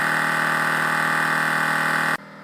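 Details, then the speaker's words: Ford air-ride suspension, newly replaced air-cooled air compressor: smooth, constant electric hum with no rattle or strain while leveling the rear, then cleanly cuts off; compressor working properly. "there it is all installed and the air suspension system will automatically adjust the rear and may stop and time out to let the motor cool cuz it's only air cooled but this is how it should"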